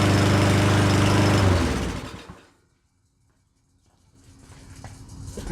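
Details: Certified push mower, not run all year, with choke opened and starting fluid sprayed into the carburetor throat: it fires and runs, nearly dies, catches again after a second spray.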